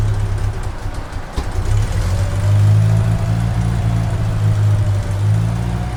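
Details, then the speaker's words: 1993 Mustang 2.3 four-cylinder after a head gasket job and timing fixes. A low, lumpy drone that surges and stumbles without a steady beat. Rough running because the firing order was wrong; the number four spark plug wire is also broken. "I had the firing order wrong. I also broke number four spark plug wire back here."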